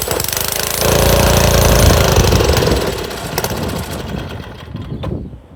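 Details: Montgomery Ward rototiller small engine catches with a rough chattering beat, surges briefly, then sags and dies within seconds; fuel looked milky and cloudy, and the owner suspects water in the gas.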